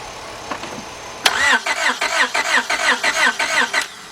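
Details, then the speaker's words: 2002 Honda Accord 2.3, jump-started with cables, complaint of no start: the starter cranks steadily, about three turns a second, but the engine never catches; spark, fuel and injector pulse checks follow. "all right so we got a quick with no start so the next thing we're going to do we need to find out whether it's lower spark or fuel"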